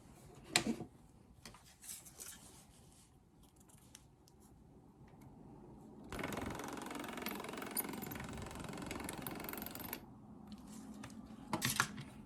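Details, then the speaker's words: Ultrasonic tool welding metal foil without its usual blade, blade carrier and grub screw fitted: sharp irregular clicks around a harsh buzzing burst; abnormal clicking, suspected due to the missing mass of blade and carrier. "Again, that clicking that you can hear, that doesn't normally happen when I'm running this as a cutter. I really think it's because it doesn't have the mass of the blade and the little blade carrier and the grub screw in there."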